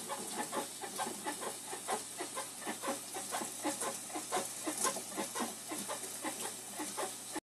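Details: Whirlpool Cabrio 5500 top-load washer gives rhythmic squeaky-bed squeak, about two per second, while auto-sensing load at wash start and sometimes mid spin/rinse; cannot be reproduced manually, cause unknown.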